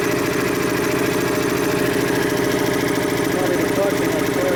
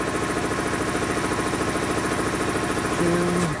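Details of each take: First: Dayton 240V 7-1/2 hp shop air compressor under repair, pressure switch being adjusted near 132 psi: motor and pump drone steadily about three and a half pulses a second without cutting out; pressure switch misadjusted so compressor won't shut off. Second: Dayton 240V 7-1/2hp shop air compressor, after motor, reed and capacitor repair and pressure-switch spring adjustment: steady even pumping thump about three and a half strokes a second, no knock or squeal; running normally, cutting in around 132 psi.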